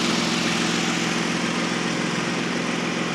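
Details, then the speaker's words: 2005 Toyota Avalon after AC compressor replacement, vacuum pulled, almost two cans of refrigerant, AC on high fan max at idle; steady even idle hum with compressor engaged, no rattle, grind or whine; nice and quiet, ice cold. "You hear it kick on. Nice and quiet."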